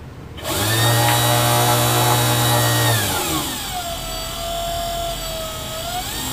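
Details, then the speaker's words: DC electric vehicle controller (about 10 kHz, current-mode throttle) driving a PMDC motor with no load, tachometer feeding an RPM limit set by a trim pot: motor whine holds, drops sharply, then climbs as the limit changes; normal running. "so when I drive current into this with no load it basically just spools up as far as it can go I want to put an RPM limit on that so I have a tachometer this feeds back to the RPM limit"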